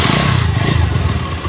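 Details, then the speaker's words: Scooter idling rough and unstable with irregular tek-tek ticking skips, worsening when hot, attributed to a faulty CDI causing ignition misfire; clip recorded with a test CDI fitted. "Nah, kedengaran ya. I ada suara tek tek tekk tek gitu ya. dikarenakan perputaran tidak stabil loh, putus-putus itu dari bagian CDI-nya ya, Pak."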